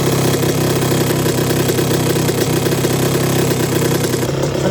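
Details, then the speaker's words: 1982 Suzuki RM125 restored two-stroke engine, first test run: crisp, even burble at idle with a steady beat and no stumbling or knocking. The engine sounds really good; a water issue is still to be dealt with. "That's bike number 1. That engine sounds really good."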